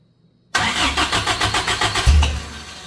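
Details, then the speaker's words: Suzuki Samurai-based rock crawler (propane/Toyota build) first start after fixing vacuum leaks, water not yet running: about 1.5 s of quick even cranking, then catches cleanly and settles to a steady idle with no fluttering or rattling; normal start. "we are running got right there [Music] [Music] boy no flattering no rattling [Music] I like it we are a runner took a little bit"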